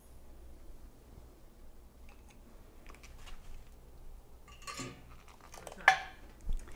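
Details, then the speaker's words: Marmalade jars just lifted from a 5-minute boiling water bath sit in a quiet room; about six seconds in comes one sharp, bright metallic ping as a lid snaps down, a good seal. "The pinging's gonna start happening, but we'll be extra quiet so we can hear them."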